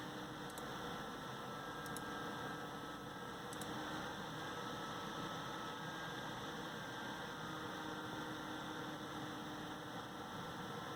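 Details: AMD stock Wraith Spire CPU cooler: steady fan whoosh with constant hum and faint tones, noticeably loud; loud CPU cooler fan noise.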